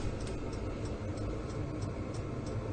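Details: Vevor diesel heater after 1 hour, building at −12 °C outside now 20–23 inside, engine oil 3 degrees: steady low hum with even dosing pump tick about three a second. Running normally.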